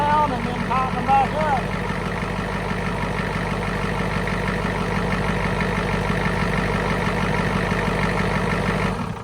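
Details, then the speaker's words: 1991 Ford F350 IDI diesel running at roughly three beats a second. Each injector line is cracked open one at a time, and the engine stumbles and bogs as a cylinder drops, then cuts out. "oh yeah so there you have it just track each line until it kind of bogs down"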